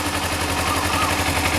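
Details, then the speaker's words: Motorcycle warmed by sun, idling at about 2,500 rpm with choke completely off: steady quick even pulse, no stumbling or hunting, normal warm idle. "the sun's been out and so it's already idling up at 2.5. So I probably don't even need to use the choke."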